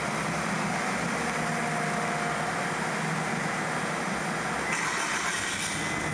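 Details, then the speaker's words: 1998 Kia Sephia 1.8 L DOHC four-cylinder, check engine light on: steady idle with an uneven, loping undertone and no clean beat as one cylinder drops out; misfire from long-reach spark plug wires arcing where they enter the cylinder head. "seem to be running rough all right so and yes the check engine light is on"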